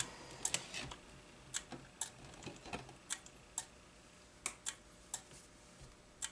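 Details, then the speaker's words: Arcade monitor (Makvision 3129, 27/29-inch NOS), dead out of the box: a relay starts clicking irregularly, about every second or two, over quiet hiss, as a bad solder joint lets it try to energize the horizontal output transistor (about 70 V at it). "oh it's ticking listen there's a relay there's a relay clicking now it's alive hear it we got a bad solder"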